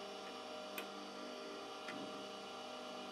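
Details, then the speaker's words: Drill-bit grinding attachment with a 20.5 mm drill: steady motor hum with a light click about once a second as the bit passes; bit not yet touching the grinding stone. "Then I turn on the machine like this, and you hear it clicking."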